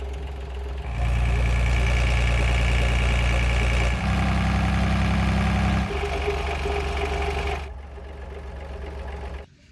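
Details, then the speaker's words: Diesel van engine, new replacement motor, at a steady 2300 rpm (not at idle): rapid even clacking about four per second that mimicked a rod knock; metal viscous fan clutch blades striking the metal shroud, little metal debris in the sump. "c'est que c'était le ventilateur donc le viscoocoupleur qui est en métal qui vient toucher une protection en métal et que un certain régime donc c'est même pas quelque chose au ralenti ou régulier"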